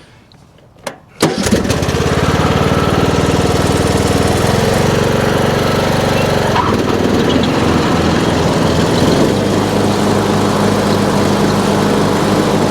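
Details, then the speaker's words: Junked Troy-Bilt Pony riding mower, first deck engagement test: the engine settles to a steady hum and the deck whirs smoothly with no knocking or grinding. The belt looked good and the blade brake worked. Normal deck running. "So we'll just try it real quick, see what the deck sounds like, and then we'll bring it back into the shop and start looking over some of the other stuff."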